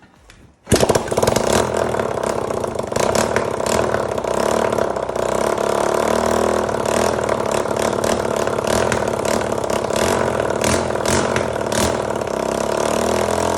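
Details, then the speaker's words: 1985 Honda XL250R RFVC single, abandoned many years, after intake valve clearance adjustment for low compression and intake backfire, with oil added to cylinder, muffler off: catches quickly, settles into steady even idle, no misses, knocking or smoke; healthy start. "yeah that sounds pretty good um doesn't smoke i'm gonna put the muffler on and go for a spin so"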